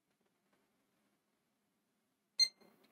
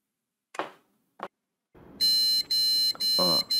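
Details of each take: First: Gigabyte B660M DS3H DDR4 board with Intel i5-12400F, Gigabyte RTX 2060 graphics card fitted after a GT 520 failed to boot: one short high beep after a pause; clean single POST beep, boots normally. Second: Gigabyte B660M DS3H board with i5-12400F and Gigabyte RTX 2060 powered on with no monitor connected: after switch clicks, about five repeated shrill POST beeps, roughly two a second, caused only by the missing display connection.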